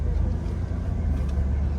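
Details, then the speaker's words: 2013 Ford Explorer XLT, driving after replacing a broken stop ring inside the steering rod: steady low road rumble through a right turn with none of the former loud pop or clunk that happened on every right turn. "so we're driving around and uh no more noise look I'm about to turn right that's it was doing it every time we turn right"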